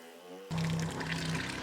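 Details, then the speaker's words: Soft-wash tank pump: steady hum turns loud and gurgly, pump losing power as it sucks air from a nearly empty tank; fix is refilling the tank. "okay so now you can hear it it's kind of making that that noise and the the pumps the pump is losing energy losing power it's because there's air in here"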